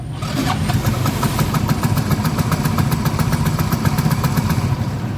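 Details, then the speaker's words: Yamaha Mio M3 scooter, neglected, check engine light not showing: engine runs but cannot hold idle, unevenly struggling and stalling again, heard from below. "Tapi ini motor hidup. Dengerin dari bawah. Tidak bisa langsam motornya."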